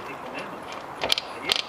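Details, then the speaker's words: Lifan dirt bike engine, gearbox being replaced, engine opened with clutch removed: two short bursts of light metallic clicks as the selector shaft is turned, normal selector return spring and ratchet pins on the selector drum. "donc je répète ce bruit c'est normal faut pas vous inquiéter"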